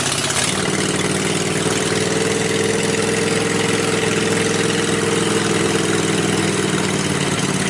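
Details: Riding mower after safety-switch bypass and push-start button install, blade clutch not yet connected: loud open-exhaust rumble settling into a steady, evenly firing idle without stumbles, a healthy normal idle.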